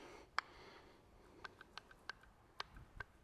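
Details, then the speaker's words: Spidertrax front axle shaft with CTM 300M U-joints, removed and rocked by hand: sharp, irregular metallic clicks from slop in the worn U-joints, which need rebuilding. "I can hear that little bit of clicking there's a little bit of slop in those joints those are ctm joints 300M super beef cake stuff but they do need rebuilt every now and then"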